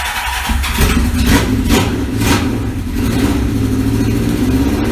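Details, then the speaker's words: Barn-find 1977 Kawasaki KZ650 four-cylinder, revived after decades sitting, after carburettor tuning; catches and revs cleanly, steady even drone with crisp throttle response. Normal running. "all right try this again i think we uh might have these carbs dialed in check it out"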